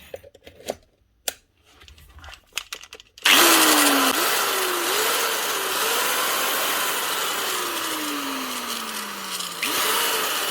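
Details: Cheap Halfords angle grinder after brush holder wiring repair: spins up to a harsh, rattling high whine with wavering pitch; gears rattly and bearings sound worn out.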